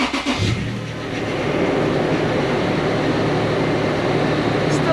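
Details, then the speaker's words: Toyota FJ Cruiser 4.0 V6 1GR-FE, first cold start after timing chain replacement for P0016: engine idles with a faint whirring hum; noisy power steering pump from air in the system, leaking fluid. "a little noisy the power steering pump oh it's making a big mess"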